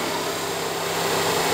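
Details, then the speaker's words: 2013 Dodge Forza with cylinder misfire, radiator fan run high-speed via scan tool actuator test: even, steady rushing whoosh with no ticks, scrapes or wobble; high-speed fan works normally (low speed does not activate). "me voy aquí el ventilador de baja pero vamos con la alta primero vamos con la alta alta no tengo problemas radiactiva"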